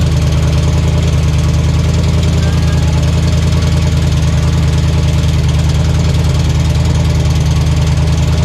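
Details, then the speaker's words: V8 after starter wiring fix: loud rumbling idle with a faint quick tick on top; source unclear, owner wonders if the starter is hanging up; small fuel leak noted. "a little tick but hey it makes noise I don't know what that sounds a little Ticky I don't know if this starter is hanging up or something"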